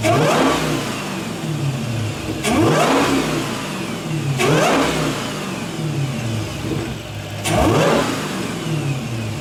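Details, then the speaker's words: Dodge Challenger SRT 6.2 V8 supercharged HEMI after swapping the stock air filter for a K&N cold cone filter: three hard throttle blips, each with a whine that climbs with revs and drops away; normal supercharger whine. "And now we're going to test how this thing going to whine. Okay, let's hear the whining sound."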